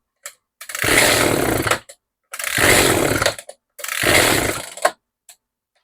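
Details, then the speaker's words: Echo GT-2200i string trimmer, after the mixture screw was turned out in half turns. Repeated bursts of high, buzzing revving with clean cutoffs, each holding steady without bogging or dying. Now running properly; needs a little more carb tweaking. "little bit more tweaking on the carb and we might be able to get it there I would definitely call this a win 100%"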